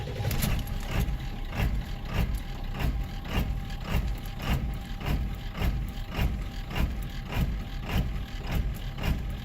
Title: 7.3 l diesel rough idle on startup